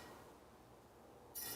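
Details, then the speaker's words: Bianchi San Jose bicycle wheel, out of true after a spoke nipple snapped, spun in the frame against a zip tie used as a truing gauge: after a quiet spin, a short bright scraping rub marks where the wobbling rim touches, then stops. "You'll hear where it's rubbing. Starts right about there. And you can hear it stop making noise right about there."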